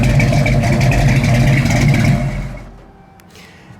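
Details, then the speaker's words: 1973 Ford Mustang Mach 1, factory original big-block V8 with 5-speed manual, short rev from idle: deep loud rumble with lumpy cam beat rising and settling back to low idle; normal healthy engine. "With this sounding exhaust, you are not going to surprise anyone with the horsepower. This ain't a sleeper."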